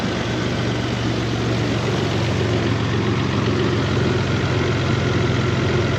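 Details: Toyota 4Runner 3.0 V6 after head gaskets, valve adjustment, timing belt and front main seal: steady, even low rumble at idle with no misses, knocks or ticks; running smoothly.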